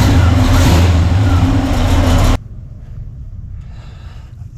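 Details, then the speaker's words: Pontiac LeMans or Chevy C10 being tuned: a deep, slow, heavy rumble with the idle sagging too low before it shuts off. Ignition timing is too retarded and needs more advance. "Now it's running way too low right now. That basically means I need more timing."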